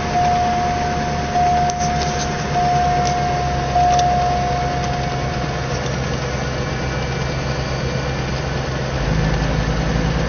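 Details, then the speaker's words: Cadillac DeVille after fuel pump replacement, on its third or fourth start: steady, even low idle with no misses or knocks. A slight tick and some smoke were noted at first start. Normal idle. "We see she sounds she sounds great, Benji."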